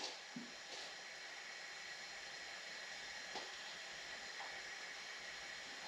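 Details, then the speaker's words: 2001 Subaru Forester engine out, cold, during a leak-down test: faint steady hiss of air escaping past the exhaust valve, with some also heard from the oil fill tube; exhaust valve leak. "Fair bit on the exhaust. And I can hear a bit coming out of the tube too."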